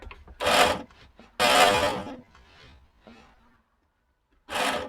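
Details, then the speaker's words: Abandoned Eagle SS that has never been on the road, with Ford Cologne V6, first battery hookup in years: harsh rasping drags in uneven second-long bursts as the wiper motor strains with dry blades; motor and relay work, owner unsure what is struggling. "But when I turned the wipers on, which I shouldn't have done because the blades are dry, and I just got excited, I could hear something struggling."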